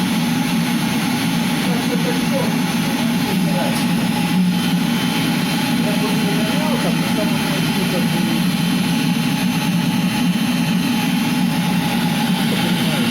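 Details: Eberspächer Hydronic D5WZ diesel heater after unit repair: steady even roar from burner and blower, no sputtering, popping or surging; firing cleanly, normal running.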